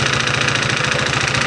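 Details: Honda PCX 150 scooter with a severe knock, idling with the CVT opened and judged fine. Rapid, sharp metallic knocking stays steady, so valves, rocker arm or cam chain tensioner are to be checked.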